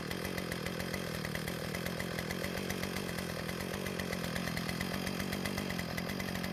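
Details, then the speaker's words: Earthquake tiller small single-cylinder engine after adding fresh fuel and priming: running fast and even with no misses, sputter or surging; no-start was caused by water in the gas. "Well, luckily for us, it started, so the problem was the water contamination in the gas."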